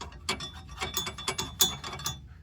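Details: Chevrolet Tahoe front end: sharp, uneven clicking knocks as the sway bar link is worked by hand; both upper and lower bushings are gone, causing rattling over potholes and bumps but silence on smooth road.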